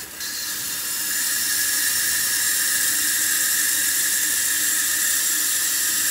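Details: Toilet tank refilling normally after cleaning or replacing the fill valve seal to cure whistling: steady rushing hiss with only a faint tone in the water noise.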